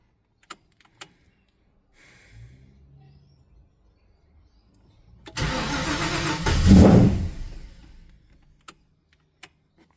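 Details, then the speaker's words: Ford Falcon XD with 351 V8 and carburettor: quiet clicks, then a few seconds of cranking catching into a rough, uneven burst before dying; hard start, likely flooded from too much throttle at start. "What the hell was that? Do you guys hear that noise? It's like a gave it too much fuel. I don't think I need to give any fuel at all at the start."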